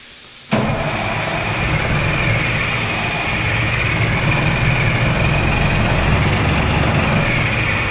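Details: Oshkosh M1070 HET 8x8 diesel: steady, fast cranking with no catch or firing, even with ether sprayed in. A crank-no-start.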